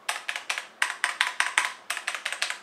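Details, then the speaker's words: HyperX Alloy FPS Pro mechanical keyboard with Cherry MX Red linear switches: crisp, even keystrokes about five a second, each a clean clack with no scratch or rattle, reasonably loud; normal healthy switch sound. "reds are pretty much loud enough for me so yeah if you're deciding between blue or red i think red switches are very nice and they're pretty nice and pretty loud too"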